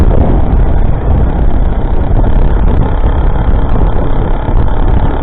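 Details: Rebuilt YD100 two-stroke, re-bored to 51mm with larger piston, running on E85/C85, new copper exhaust gasket, first start after rebuild: deep steady drone holding an even note without misfires; runs cleanly.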